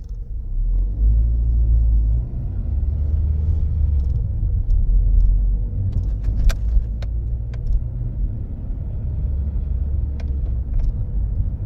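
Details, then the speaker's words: Toyota Corolla robotized manual (Aisin MMT) gearbox driving in third gear: low rumble with scattered sharp knocks and crunches, strong in third, less in fourth; synchronizer suspected, gearbox removed for synchronizer and gear washer replacement. "Корола третья передача стучит или стучит или синхрон совсем сильно"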